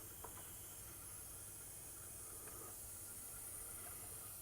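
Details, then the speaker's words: Cylinder 1 of a sick 1972 Ford F100 390 V8 with 60 psi compression, leak-down test with air building from 10 to 30 psi: faint, steady hiss with no pulsing; cylinder won't hold pressure, heads or rings suspected. "let's see we're at 10 got 30 to it and i can already definitely hear it and always make sure that it's not the tool"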